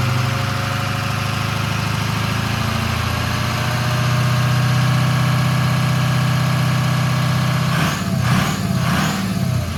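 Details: Ron's 6.0 Powerstroke diesel from South Carolina idling after first fire-up, still cold and being warmed up before driving so bearings and sleeves heat in: even, steady clatter, no knocks or misses, a few air hisses near the end; healthy normal idle.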